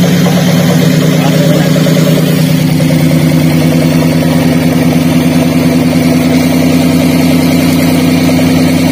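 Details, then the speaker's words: Daihatsu Gran Max with low power: idle has a loping, uneven limp, about two stumbles a second, instead of a smooth hum; engine misfire because ignition coil No. 4 is dead and gives no spark. "Kemudian untuk suara mesinnya sendiri terdengar pincang ya atau tidak halus"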